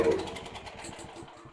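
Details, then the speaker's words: Champion dual-fuel household generator, unused for at least six months on old fuel: with choke open and a one-second squirt of carb cleaner or starting fluid, it catches on fading pops under two seconds then dies; fuel starvation from a clogged carburetor, not mechanical. "okay that's a super common um situation where basically it won't start a little bit of fuel it starts and what that does that confirms for you that it is not a mechanical issue with the engine"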